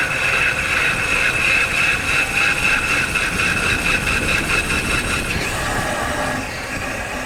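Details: Car driven with a microphone installed, braking: harsh metallic scraping with a pulsing high rasp over road rumble. The brake pads are worn out and grinding the disc, which has probably been damaged.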